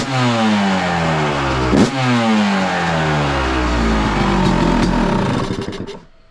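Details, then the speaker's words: 2023 Yamaha YZ250 two-stroke after a Boyesen Rad Valve install, jetting untouched: after slow priming kicks it starts first kick, revs cleanly with a sharp, even crackle, returns to idle and shuts down; sounds crisper, normal running. "Not bad. The YZ starts first kick. Yeah, I turned it over a couple times slowly just to prime prime the carb. But first kick fires up. The new BOYESEN Rad Valve already sounds crisper."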